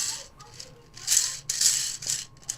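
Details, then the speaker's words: 3D-printed antenna rotator axle bearing, meant to fit over a 30 mm shaft, spun by hand: dry, uneven rattle in bursts; play already reduced by 0.75 mm, 1.5 mm overall, but some remains, so excess play makes the bearing rattle. "This one's still got some play and I've just reduced the play by 75 of a mil. So, 1.5 mil overall. So, just got a little bit going on there."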